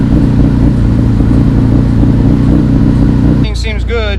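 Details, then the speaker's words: Fully built twin-turbo Mitsubishi 3000GT VR4 cold start after a longer-than-normal crank: loud, lumpy, uneven low rumble; spark plugs fouled out from two-step use and pretty much done. "bars are good it cranked a little bit longer than normal there these plugs are pretty much done"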